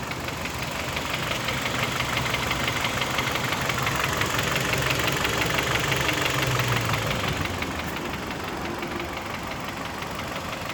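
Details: Kia Optima K5 2011, G4KD engine at idle: steady light knocking about three per second over the engine hum; identified as piston, not valves; piston knock.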